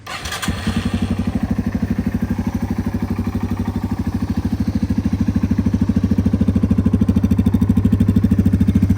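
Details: 2001 Yamaha TTR 225 dirt bike, electric start, revived after sitting four years with carburetor cleaned, new battery: fires within a second and settles into a steady, even low putter with no misses; healthy idle.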